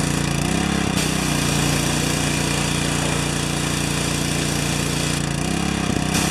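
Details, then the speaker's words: Four-horsepower Briggs & Stratton vertical residential pressure washer damaged by freezing, outlet cracked: small engine drones steadily under pump load, brief dips as the trigger changes; the unloader valve is bypassing and won't hold pressure. "there should be no leaking when it it's this way and full blast this way right and it's gonna blow through"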